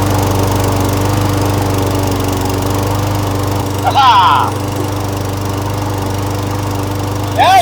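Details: A Briggs & Stratton Yard King mower runs with a steady, even low drone and no surging or missing. This follows an ultrasonic cleaning and rebuild of the carburetor and a new battery. It runs normally.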